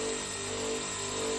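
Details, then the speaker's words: 2-horsepower air conditioner outdoor unit, about 8-10 years old, fan disconnected: steady buzzing hum with a mid-pitched drone and rattly edge from the compressor, vibrating because its rubber mounts are completely worn out. "इसके जो rubbers हैं आपको नज़र आ रहे होंगे, रबड़ बिल्कुल इसके ख़त्म हो चुके हैं।"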